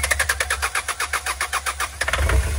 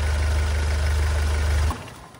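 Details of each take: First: Hyundai Starex GRX diesel that won't start: the starter cranks at about five pulses a second but never catches; no diesel reaches the common rail from the pressure pump, code P1183, suction control valve suspected. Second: Hyundai Starex GRX diesel that would not start, with codes P1183 fuel regulator and fuel rail sensor from weak diesel supply: after repair it idles with a smooth, steady low rumble, then is switched off.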